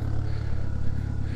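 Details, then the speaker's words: GSX car started after sitting about a month while its hood was painted, fired on the first try: low, even idle rumble at a steady speed with no ticks, knocks or stumbles; sounds real nice. "let's see how she sounds sounds real nice"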